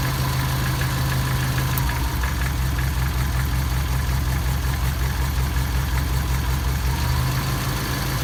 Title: Стук двигателя